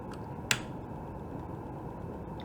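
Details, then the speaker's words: Milwaukee Packout vacuum cleaner, completely dead: a single sharp click at switch-on, then only faint hiss; the motor never spins up, and the comparator output shows only short bursts of pulses. "hear it clicking but we're not getting anything on that pin"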